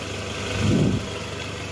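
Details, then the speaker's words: Toyota Alphard after replacing a worn balancer shaft: smooth steady idle in R, heard from the side, with no knock or rattle; before the fix, a harsh abnormal noise appeared as soon as R was selected. "ini udah posisi R guys nggak ada bunyinya ya Coba kita dengar di samping Oke sip bunyinya udah hilang ya guys"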